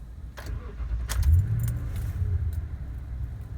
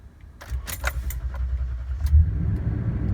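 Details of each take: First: 2014 Toyota Tundra 5.7L V8 at 85,315 miles: short crank, then it catches straight away and settles into a deep, steady rumble; normal start. The truck otherwise cranks long when cold or after sitting. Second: 2014 Toyota Tundra 5.7L V8, about 85,300 miles, 87 octane, after sitting 8 to 9 hours: the starter cranks for a couple of seconds, about twice as long as normal, before it catches and settles; hard start, cause unconfirmed (battery suspected).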